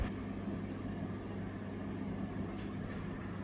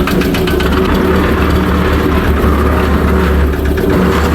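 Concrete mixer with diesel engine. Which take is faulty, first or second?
second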